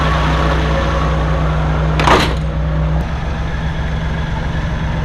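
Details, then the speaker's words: 1984 Maserati Biturbo with a fuel-injected engine swapped from a 1989 Biturbo and a new fuel pump fitted for hesitation. Steady low idle hum with a brief clunk midway, then it settles quieter and smooth once warm after a choked cold start. "You'll hear that it's idling a little bit quieter now because that was a cold start that I had done in the shop. So it was a little choked out there, and then now it has been brought down all on its own."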